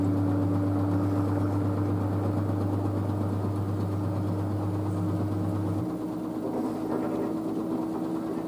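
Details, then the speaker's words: New washer dryer spinning at 600 rpm after a pre-spin: a smooth, steady motor whirr with no thumping or banging. It is very quiet; the front panel flexes slightly but the machine stays stable. Normal spin cycle. "it's so quiet 600 rpm"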